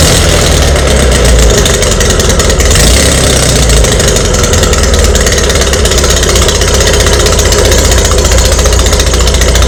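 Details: VW Beetle, idling during a dual carburetor install with the exhaust ports left open and unplugged: very loud, raw, fast popping rumble with a harsh rasp and smoke, an exhaust leak.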